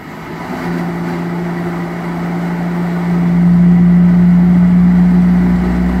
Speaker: And I've heard him make these weird noises before, and it sounds like a cavitation situation, which I wouldn't think would be good for pump blades. Or some weird cycling, I don't know.